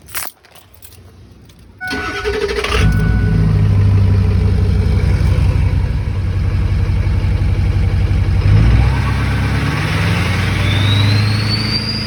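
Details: Ford 6.0L Powerstroke diesel after replacing a failed VGT turbo pigtail. Catches after a short crank, then an even run with a thin whistle climbing as it revs; turbo whistle restored, though more engine-harness wiring issues were found.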